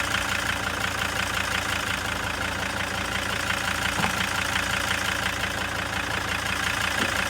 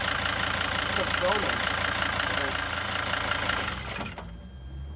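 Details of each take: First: Junkyard replacement engine just swapped into a T1N Sprinter, idling with a lumpy, uneven diesel clatter about three beats a second; rough idle. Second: Junkyard replacement engine just swapped into a T1N Sprinter: diesel idle settles into a steady, even beat with no misfire stumble, clearly smoother than before; normal idle.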